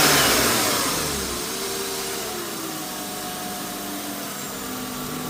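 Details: BMW E36 328i: thin whine over the engine that drifts in pitch as the revs ease off, from the power steering pump; cause unknown, owner doubts it is normal, louder from inside the car.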